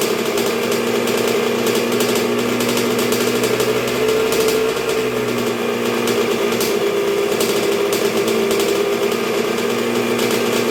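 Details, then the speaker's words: 1986 Honda CR125R two-stroke on a break-in heat cycle after a new .060-over Wiseco piston top end: crisp buzz holding steady with light, barely-any-throttle blips that rise and fall cleanly; healthy normal break-in running. "man she wants to eat let me tell you that's barely any throttle but we can't get crazy yet we gotta take it easy on her"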